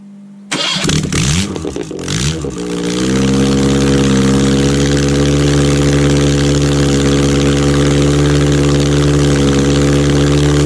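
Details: Rebuilt Ford OHC Pinto 202-block engine (transit type, 205 rods, thin-top-ring pistons) first fire-up on chokeless test Weber 32/36 DGAV carb; cranks briefly, catches cleanly, settles into steady even idle, no knocks or misses.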